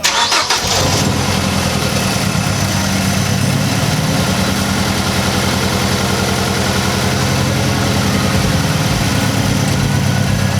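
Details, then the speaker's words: 2006 Mazdaspeed 6 running with one coil pack unplugged to find the misfiring cylinder: uneven, loping idle with a recurring stumble, running on three cylinders; misfire persists, one cylinder dead. "I did not think it was going to run that good on 3 cylinders."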